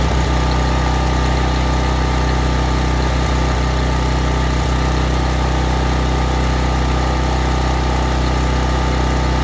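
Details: Sportsman 4000 dual-fuel gas/propane generator, started on full choke: steady, even engine drone at constant speed with no misses or knocks; normal running.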